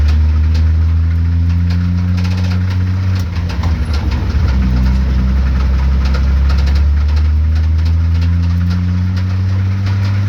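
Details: 1976 Datsun 280Z race car, cold, pulled into the pits at 24 Hours of Lemons: deep drone with uneven knock about three beats per second, suspected rod knock; leaking out the front, driver shut it off.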